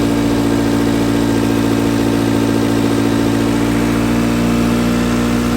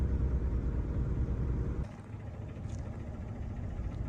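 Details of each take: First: Car after cleaning a carbon-clogged throttle body with carb cleaner, following rough running and dying: steady, even idle with smooth low hum and no stumbles, charging about 14 V; normal idle. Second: Car after a jump start, before throttle body cleaning: lumpy, uneven idle that sags and nearly stalls; carbon-clogged throttle body starving air at idle, owner first suspected the battery; rough idle from dirty throttle body.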